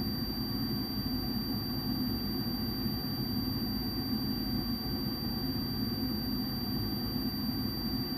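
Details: Furnace inducer blower running during pressure switch vacuum testing through needle valve and tee; low heat switch 0.3, high heat switch 0.78 in water column, closed at 0.81; smooth even blower roar with a faint constant high tone, no surging; normal inducer operation.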